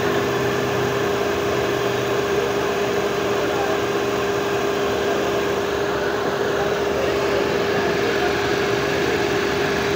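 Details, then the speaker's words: Renault Kwid Climber just started after water pump replacement and cooling system air bleed: a smooth, even idle hum with no knocking, rattling or whine, with the old noise gone and less vibration; normal idle. "आणि आता गाडी बघा स्टार्ट केल्यानंतर आवाज एकदम नाहीचा बरोबर झालेला आहे."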